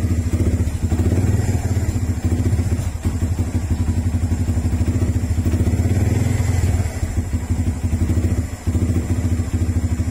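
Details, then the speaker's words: Single-cylinder motorcycle, hard starting and stalling in traffic when braking, after fitting a new tri-electrode spark plug: uneven idle thumps and sags, nearly dying; plug didn't fix it, owner suspects carburetor needs tuning and tune-up. "namamatay talaga siya ah ayun nga guys ah kinabit natin yung motaro na spark plug pero ganun pa rin hard starting pa rin siya"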